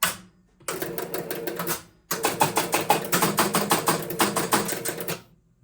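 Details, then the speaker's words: 1974 Williams Triple Action pinball, replay reset: two bursts of rapid, uneven relay clicking around three per second; ball count went to 8, apparently cycling a full index then adding 3; erratic reset, cause not yet found (coin relay circuit suspected). "it's still inconsistently doing it. See, like that time it went to 8. So I'm sure it basically went the whole cycle, like an index, and then started again, and then it successfully added 3."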